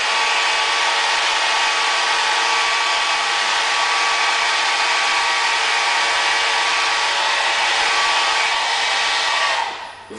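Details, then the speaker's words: Variable-speed 12 volt fan, up to 30 watts or 2.5 amps, cranked to full speed; loud, even rushing whoosh like a hair dryer until it cuts off, moves a lot of air; squeals slightly at low speeds; normal running. "has a little bit of a squeal at low speeds guess that's just the variable speed and when you crank this up sounds like a hairdryer but does it ever move here look at the drapes"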